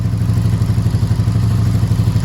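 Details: 1984 Honda V65 Sabre VF1100S V4, cold start after sitting outside a couple of months: rapid even ticking over a lumpy idle, quietening as oil works up; oil drained away in storage. Valve tap on cold start.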